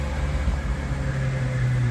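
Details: Ferrari 812 GTS Superfast Competizione just after battery replacement, engine light cleared after a throttle blip: a deep, steady idle hum holds even without misses or knocks as the engine warms up healthy.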